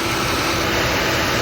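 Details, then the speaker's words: 2021 GMC Acadia 3.6L with P0494/U1345, cooling fan inoperative and OEM fan swap didn't fix it; after the LIN bus/active shutter wiring was connected for testing, a strong steady rush of air over quiet idle as the fan spins fast and works properly. "Do you see how fast it is? Okay, so that's the problem."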